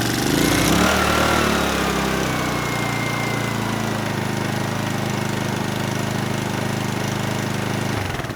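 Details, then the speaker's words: Honeywell HW2000i 2000 W inverter generator with a hard-starting complaint, after topping up low oil with about 200 ml: it catches after a brief crank and runs with a smooth, even drone; it now starts right up. "let's try it again okay good it starts right up so I'd say we're out of the woods on this one"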